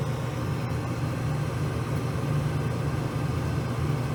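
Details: Furnace blower motor, old shaft-through type, running after a capacitor replacement (earlier it hummed, suspected locked up or bad cap; shaft spun freely); a steady, even low hum with no rattle, buzz or surging; the blower runs smooth and normal.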